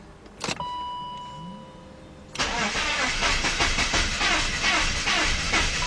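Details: BMW 5-series (525i/528i/530i/540i, 1997–2003) that earlier had no dash lights. After reconnecting the battery: a click, then steady fast cranking around three turns a second that never fires. Fuel pump heard; owner suspects flooding or plugs fouled from cranking.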